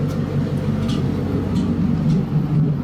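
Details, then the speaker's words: Ford Mustang at warm idle after spark plug and ignition coil replacement: deep lumpy idle, sounds healthier, but faint irregular exhaust pops once or twice a second that worsen as it warms; owner suspects blown head gasket, cause unknown. "sounds healthier, but that that pop is concerning. It's more and more the warmer it gets,"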